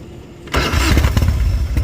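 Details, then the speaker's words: Harley motorcycle engine fires up at once and settles into a strong, even lumpy beat with no knocking and audible air filter intake; clean, healthy normal start. "No engine knocks, nothing wrong with it. Sounds clean and smooth, right?"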